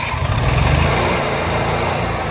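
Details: Onan 4000 W RV generator (QG 4000) after tune-up (new air filter, carburetor, spark plug, oil), spring screw eased counterclockwise, oil level lowered: starts and runs steadily without surging.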